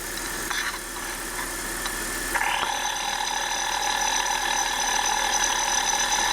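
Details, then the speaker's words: 1999 BMW 320i E46, M52 2.0 L inline-six, 5-speed automatic, about 77,750 km, at idle via external mic and stethoscope: steady high whirring from the belt tensioner pulley, idler pulley also slightly noisy; belt tensioner pulley noise. "[音楽]はいこんな感じで今回はわかりやすかったと思いますテンショナーノートが明らかに大きくて変な音でしたよねあとアイドルアプリもちょっと音が出てましたが"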